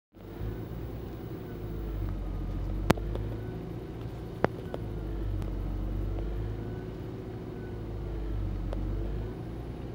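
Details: Nissan Gloria Y33 with VG20E engine, cold before warm-up: idle speed slowly swells and sags about every four seconds. The cold engine is hunting at idle.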